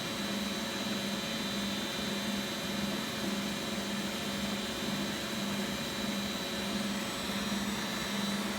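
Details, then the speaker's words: Beko WX842430W front-loader, possibly 2017, running empty on a spin cycle at 1400 rpm: steady high-pitched whir with an even low hum pulsing about twice a second, no banging or grinding; normal high-speed spin. "sounds like it's going even faster now 1400 spin is quite fast"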